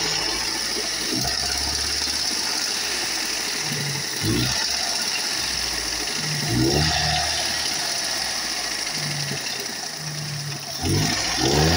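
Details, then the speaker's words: Daewoo Lanos engine idling with an uneven knocking tap a couple of beats per second that sounds like a bottom-end engine knock, though such noises are not necessarily engine knock; source unconfirmed. "في صوت في العربيه دي اول ما هتسمعه انت هتحس ان العربيه دي فيها مكنه حرفيا فيها مكنه المفروض عايزه تتحل ويتشفيها دور بعد اذنك بص في"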